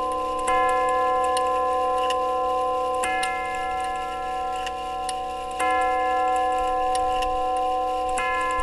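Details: Grandfather clock tube gong movement, steady even tick with clear tubular chime strikes every two to three seconds; after refurbishing hammers with worn leather pads, movement and hammers sound healthy.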